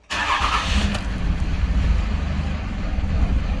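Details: 2006 Dodge Ram 2500 5.9 L Cummins diesel, 225,000 miles, hard to start and stalls; after cranking it catches, then hangs at a low, lumpy, uneven idle around 400–500 rpm before slowly reaching 750. Sticking fuel control actuator suspected.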